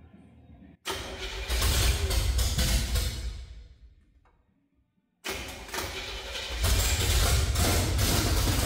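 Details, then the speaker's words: 1968–69 C50 truck engine catches with a sharp backfire pop on the first start attempt, runs rough and dies, then restarts; the carburetor is suspected of not getting enough fuel, and a possible clatter was heard but unconfirmed. "one more time first time was backfired"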